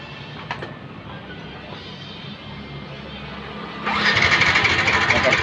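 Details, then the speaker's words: Yamaha Vixion motorcycle with a homemade anti-theft kill switch fitted, key on: starter whirs with even cranking pulses for about two seconds but the engine never catches, because the kill switch cuts the ignition. "Nah, kedengaran kan nggak nyala kan?"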